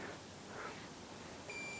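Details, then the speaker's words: Meter continuity beep on a Kenmore Elite washer's newly replaced lid reed switch, with the control board connector disconnected. Faint hiss, then one steady high beep of about half a second as the lid closes; the switch works after the lid-error (safe mode) repair. "So if I close the lid, it should come on."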